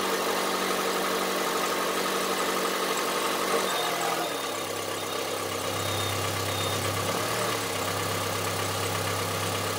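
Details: Honda CR-V III 2.4 at idle: steady idle with a hard, rattly diesel-like clatter on top; abnormal internal engine knock of unknown cause.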